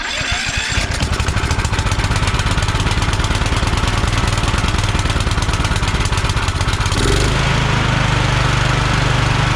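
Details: Kohler Courage 20 hp engine on a free Craftsman DYT4000 mower, fuel pump hooked up, battery 12.79 V, starter weak; fast even patter settling steadier, no exhaust leak or rattle; charging good, carb decent, muffler fine; normal running.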